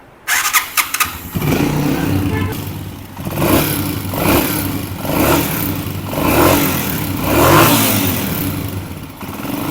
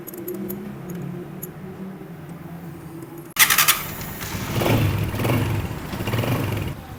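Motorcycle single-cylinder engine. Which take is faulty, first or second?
first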